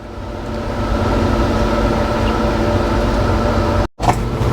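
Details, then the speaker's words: Freshly rebuilt Ford 390 V8 in an old service truck during break-in: steady running with an uneven tapping about four per second; dies after 30 seconds to a minute despite good fuel, air and spark; source unknown. "Yeah, that is a weird sound. So I don't know what else it could be."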